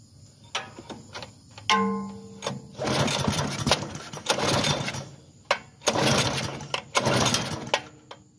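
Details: Bluebird belt-driven aerator small engine, fresh gas, non-runner from purchase: several rough pull-start bursts, catching briefly then dying each time; fuel starvation from a clogged carburetor needing cleaning.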